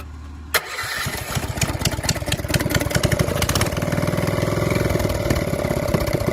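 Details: Honda GX270 rebuilt (converted from gear reduction to stock crank, new crank, coil, side cover, pull starter): one pull starts it, steady even thump at idle with no misses; normal start and idle.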